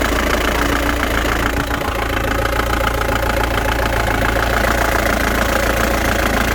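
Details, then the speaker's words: 1997 Ford Transit diesel, recently replaced clutch pressure plate, idling with clutch engaged: rough, uneven knock three to four times a second over the clatter, felt as imbalance and vibration; judged not the release bearing, source uncertain. "но это стопудово не выжимной потому что это не шелест это такое чувствуешь как знаешь дисбаланс и вибрация стук это точно не выжимной"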